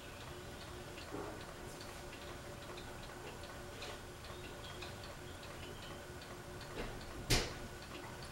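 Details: Fasco Vanity Fair ceiling fan: faint, light ticking over steady motor hum, fan wobbling slightly; flywheel broken and loose after an attempt to remove it.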